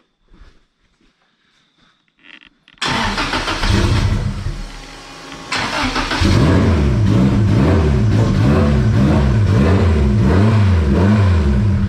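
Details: Turbocharged B-series Honda Civic EG time attack build, first start for viewers: brief crank, catches cleanly, then repeated smooth rev blips rise and fall evenly with a crisp return to idle; healthy running.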